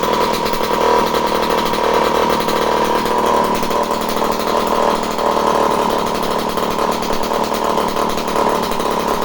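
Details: Homelite C51 two-stroke chainsaw returned as non-running, fuel in, needles at base factory settings, spark confirmed: steady, even high-pitched drone without stumbles or surging, running normally.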